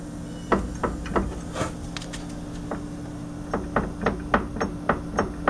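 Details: 2015 Arctic Cat Wildcat Sport, about 120 miles, front wheel rocked by hand: irregular hollow clunks about three a second; worn A-arm bushings let the arms slide on their bolts, causing noise when slowing or turning over bumps.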